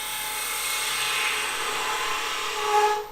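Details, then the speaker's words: Chatter tool texturing a spinning top on a wood lathe: fine, buzzy, high-pitched rasp as the tool bounces and vibrates on the wood, normal intended chatter. "you get too thin you're good you'll get some waffle you start having some issues you'll start creating some chatter which is what you want"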